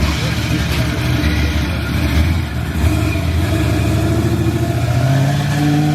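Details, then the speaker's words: Chevy drag car after first track pass, driven; whine under the engine note climbs in pitch with speed, whining like crazy after something tore, owner believes internal transmission damage; transmission whine. "but it definitely tore it whining like crazy i took it out trailing drove it up here and the spot or whatever is is is whining like crazy man so it definitely something internal"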